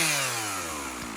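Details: MS 460 Magnum chainsaw after rebuild (original crankcases; new muffler, top end, piston, ring, carburetor, fuel filter), warm restart: crisp two-stroke note winding down smoothly from high revs toward idle with no stutter, running a little rich; healthy.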